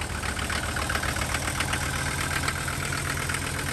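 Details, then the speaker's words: Mercedes diesel van idling just after cold start, new inline fuel filter fitted (old one clogged), compressor running; steady diesel clatter, even low rumble, no odd knocks, smoke cloud: normal diesel idle. "As you can see from the cloud of smoke, it's running. I've got the compressor going right now. I'm going to inflate the tires, like I said. It's running good."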